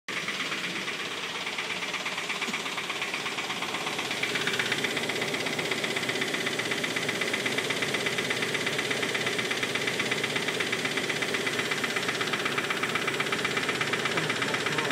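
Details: Mitsubishi Pajero engine idling with a steady quick tap or knock about four times a second and a slightly uneven beat; owner suspects it is running on five cylinders, cause not confirmed.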